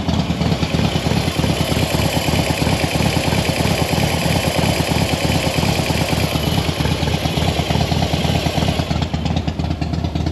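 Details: Harley Softail V-twin at idle after push rod work: light, quick tick about three per second over the lumpy exhaust beat, seemingly from the front cylinder or middle; top-end noise owner suspects may settle within 20-plus miles, unconfirmed.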